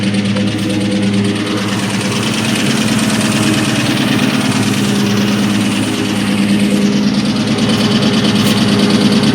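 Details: 2003 SVT Cobra V8 idling with a steady, hollow knock about three times a second: piston slap from badly scored pistons.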